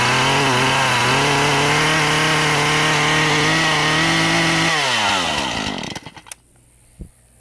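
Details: Husqvarna 435 chainsaw with a hot no-start problem, running after the original coil was refitted because a replacement aftermarket coil failed. Outside it is about 80°F and humid. The saw holds a steady, clean high-pitched run without stumbling, then is switched off and winds down smoothly; it runs healthy.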